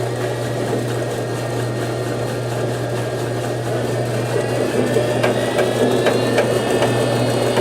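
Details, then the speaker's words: Whirlpool Duet front-load washer: steady low roar with a rising whine as the drum spins up, like an airplane taking off, from worn rear inner drum bearings. "What it does, it sounds like an airplane trying to take off."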